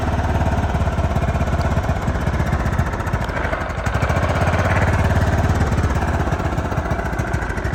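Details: John Deere LT155 riding mower, a no-crank/no-start, now running after checking power at the switch red wire: steady small-engine putter about three beats a second, even rhythm without misses; runs fine, owner now doubts flywheel magnets rather than stator.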